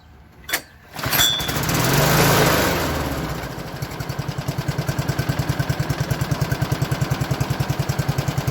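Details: 1987 Toro OHV 20628C lawn mower with a 4HP 141cc Suzuki engine and 53cm deck, after an easy fix for a no-start. The pull-start catches, revs briefly, then settles into an even, steady beat of about 200 per minute; normal idle.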